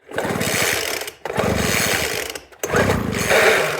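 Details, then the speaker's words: Weed Eater FL1500 Featherlite leaf blower, non-running for years: three rough recoil pulls with scraping, rattly turnover and no firing; sounds dry inside as it cranks. "Oh. Ooh, she sounds dry. Something's dry in there."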